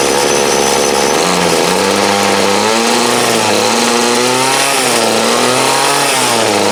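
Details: 2008 Troy Bilt TB20CS 31cc two-stroke trimmer, fuel lines, filter and primer replaced, warm after about 5 minutes idling, wanted half choke; hard buzz with revs surging and sagging unevenly: carb dead spot, flat spot in throttle response.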